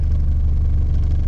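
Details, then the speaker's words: Car fitted with a motorcycle engine and carburetor, no vacuum idle-up; with AC switched on, idle drops from about 1000 to about 700 rpm but stays steady without hunting or stumbling; normal idle under AC load. "nya jadi menurun karena beban dari AC minyak tadi 1000 ya sekarang jadi ya sekitar 700an 700 RPM dan ini masih anteng segini"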